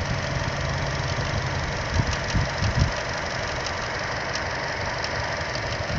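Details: Chevrolet Cruze at idle, occasionally after start-up: sharp, irregular ticks coming and going, much louder than normal engine tick, seemingly from just behind the engine; dealership couldn't replicate twice; cause unknown.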